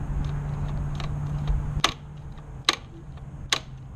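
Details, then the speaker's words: 2016 Kawasaki Z1000 clutch lever snapping back with clean clicks and no squeak, after chain lube was sprayed into the occasionally squeaking lever pivot. "No more squeaking."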